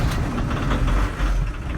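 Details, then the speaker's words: VW T25/T3 Westfalia pickup diesel on first start after standing six months over winter, glow plugs used first: catches quickly and settles into a rough, lumpy but steady low rumble, a bit smoky; normal diesel cold start. "wow listen to that it's impressive in it after six months bit smoky they're really reliable"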